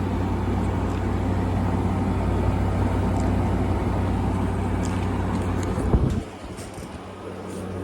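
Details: 2016 Frigidaire 5,000 BTU window AC: steady low even hum with no rattles or squeals, settling quieter near the end; runs normally.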